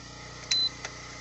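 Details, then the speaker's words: PowerBright 1500 W inverter after repair, MOSFETs checked good and fuse removed: one short, clean high beep over a quiet room as the power button is pressed; it powers on and works normally. "here we go it's on and it's working wow it's working just fine"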